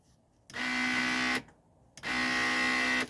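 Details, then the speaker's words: 1995 Mercedes E300 (W124): raising the front of the power seat gives two bursts of steady high motor whine with no load change; motor spins freely because the seat drive cable has popped loose, to be reattached. "when I press this up and I try to raise the front of the seat you can hear the motor turning but the cable has popped loose"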